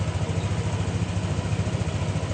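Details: Scooter at idle right after its CVT parts were cleaned, reassembled and tightened. A steady, even low throb with no knocks, rattles or belt squeal. The CVT and engine sound healthy.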